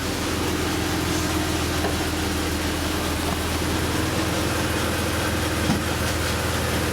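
Steady idle carrying an odd rattly, hissy undertone over the low engine note; something is off at idle, cause unconfirmed.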